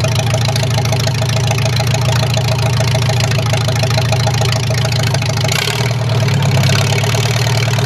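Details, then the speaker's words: Farmall H tractor just reassembled with repaired carburetor: steady, even low idle with regular firing beat, no knock or miss; runs pretty good, may need slight tweaking. "fires up runs pretty good I might have to do a little bit of tweaking but other than that it's all right"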